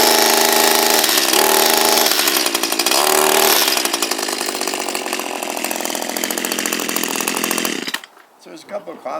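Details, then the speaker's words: Echo SRM230 two-stroke string trimmer, hard to start and not running right: high buzz that sags, won't rev freely, pitch wandering before dying off, head turning slow; a restriction or an ungreased head is suspected, not confirmed. "we could have some restriction down here that's causing it to not go around as fast as it could"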